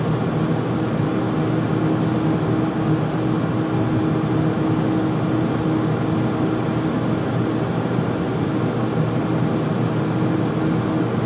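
Constant loud roar with a faint steady hum on top throughout; furnace running noisily, cause not evident from the sound.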